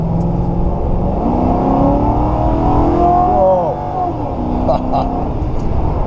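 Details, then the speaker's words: Ex-government auction Ford Crown Victoria V8 accelerating on country roads: smooth even pull, note climbing steadily, no knocks or misses; normal engine under acceleration. "it's got that traditional crown fake Police Interceptor sound sore like a hard to describe but it's got a very unique sound to the engine"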